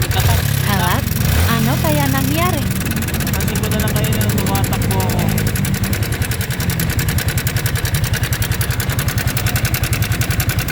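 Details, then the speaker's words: Yamaha Sniper 155R at idle: fast, loud metallic ticking as the failed cam chain tensioner, its spring dropped out and no tension left, lets the chain slap; tensioner to be replaced. "so ito yun papalitan ng tensioner yung sniper natin dahil nagkaroon ng parang tunog TMX na kanina"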